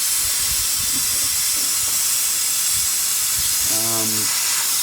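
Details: Engine off, intake pressurized with a cheap homemade boost leak tester: steady loud hiss of escaping air; boost leak around the intake manifold. Cause suspected, not confirmed.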